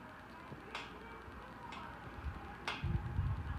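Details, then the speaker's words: 52-inch hugger ceiling fan of unknown make in a condo master bedroom, running on high: quiet run with a sharp tick about once a second in step with rotation while it wobbles and shakes; cause unknown. "now let's go wobble it wobbles and shake slow on high"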